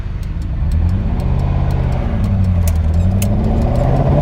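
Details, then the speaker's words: Ferrari 308 after engine rebuild, first road drive: engine note wavers and stumbles as revs rise under load, misfiring and down on power, likely not all cylinders firing; new spark plugs didn't help, owner suspects coil amplifiers next. "Right, that is horrible. It's still running really badly. I tried it before and it was doing that, so I went back home, put all new spark plugs on, still the same problem."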